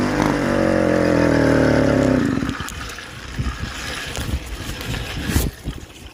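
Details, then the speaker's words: 49cc two-stroke motorized bicycle engine: buzzes steadily, then suddenly misfires and backfires into pops and sputters and cuts out while riding. "um and we're having misfires and backfire problems where you're riding down the road and it just just backfires and then shuts off"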